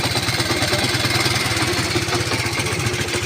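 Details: Honda C90 single, originally a battery model, converted to battery-free CDI ignition with original coil pack: quick, evenly spaced pulses at steady level, no misfires or stumbles; clean, healthy idle.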